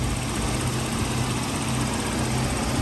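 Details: 2003 Toyota Kijang LGX 1.8 EFI manual at idle in the engine bay: steady, even idle with a light fast tick that is normal injector noise; the engine sounds healthy.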